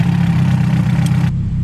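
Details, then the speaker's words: Turbo Honda hatchback on the dyno, new distributor: steady low drone drops in tone and goes duller as timing is retarded at the distributor; tone comes back up once advanced to match the ECU. "alright so I just said it you can hear the tone of the engine change"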